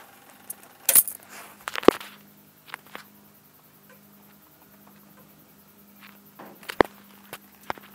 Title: Hyosung GT250R 2008, clicking noise from battery area